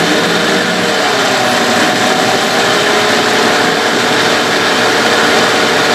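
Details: Evinrude/Johnson 15 HP two-stroke outboard running loud and busy with a thin steady whine over the engine; less bad since the drive shaft was swapped but persists, source unclear; a parts motor.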